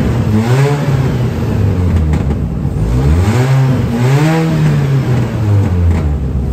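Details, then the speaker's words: Warm Mini revved with holes drilled in the exhaust pipe and catalytic converter: loud, hollow, unmuffled booming that rises and falls with each throttle blip. Exhaust leak; the planned fix is to weld the holes shut. "donc bon ça fait un bouquamp pas possible ma voiture c'est pas une voiture de rally euh j'ai pas envie que ça fasse ce bruit"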